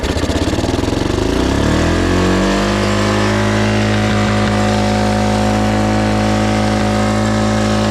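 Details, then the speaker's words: Yamaha Moto-4 Big Bear 350 four-wheeler that sat in the woods for years, started on starting fluid with a new fuel filter: the single cylinder catches and holds a fast, steady idle well above normal, because a damaged throttle cable is holding it open. "now I told y'all that idle was pretty high really high idle I may have to modify that cable sooner than later"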